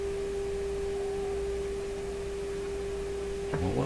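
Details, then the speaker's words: PYE Model 762 tube receiver during IF alignment with signal generator feeding in: steady pure whistle over faint hiss, pitch follows generator frequency; heterodyne from two close frequencies in the mixer, judged not a concern. "So there's a heterodyne in there too. Now that You have to have 2 frequencies in the mixer. Two close frequencies."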